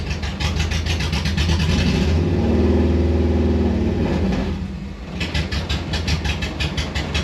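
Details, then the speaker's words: Subaru EJ25D engine swapped into 1974 VW Bus, in neutral with parking brake on: loud open-header flat-four, steady even pulse, swells on a blip and settles to about 780–825 rpm; smooth normal idle. "definitely need to fix that but you can see how much better the idle is we're looking at about 780 to 825 RPM idle"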